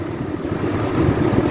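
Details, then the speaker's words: 2003 Dodge Ram 3500 dually diesel idling after fluid refill, power steering now working: steady low even rumble, no knocks or rattles, no leaks seen; healthy. "I don't see anything leaking, no funny noises. Beautiful."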